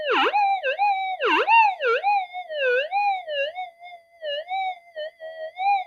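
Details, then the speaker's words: Modified Minelab GPX-4500 metal detector on sensitive extra timing, with no target nearby: a loud warbling tone swoops up and down about once a second. The detector is swamped by electrical interference. "the thing is even though tons of noise coming in and really swamping this out"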